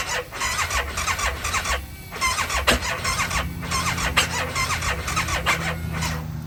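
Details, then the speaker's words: ATV quad bought as running fine; after replacing spark plugs (one lacked the terminal nipple contacting the coil boot) with CPR AE 7411 type, it still cranks slowly with squealing but catches and runs much smoother, even and without missing. "So, it still does crank slow, but it runs a whole lot smoother."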